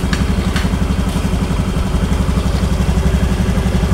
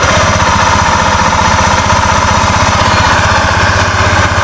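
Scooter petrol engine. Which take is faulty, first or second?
second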